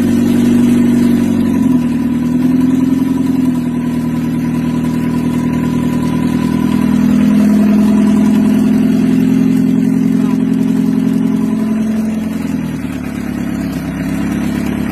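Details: Mitsubishi L300 diesel on its first start after an engine rebuild, wiring still untidy, during break-in; it revs and settles to a steady, smooth idle with no knocking, though an exhaust puffing is suspected from the air filter or exhaust: normal running.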